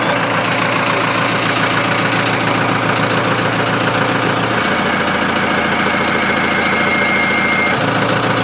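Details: Diesel with HE351VE turbo on stand-alone controller and Flowmaster exhaust: idle deepens and a thin turbo whine rises when the exhaust brake is switched on, normal.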